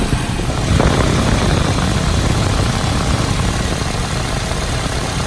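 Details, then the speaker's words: 2009 Nissan Cube after radiator cooling fan replacement, idling with AC on to command the fan to full speed: steady, even rush of air with no rattle, scrape or wobble. New fan sounds healthy at full blast. "Just to show that the radiator fan is blowing at full blast now."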